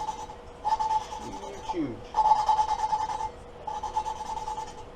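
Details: Suzuki LTZ 400 cylinder head rebuild, hand lapping a valve; back-and-forth rasping strokes with a steady squeaky ring, the smooth even note of a valve lapped in and seating properly.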